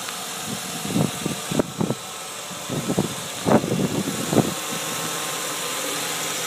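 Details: Land Rover Discovery II engine idling with irregular knocking and clatter from the belt drive, owner suspects the power steering pump; the test is to slacken the serpentine belt with a 15mm socket and breaker bar and hear whether the noise goes away.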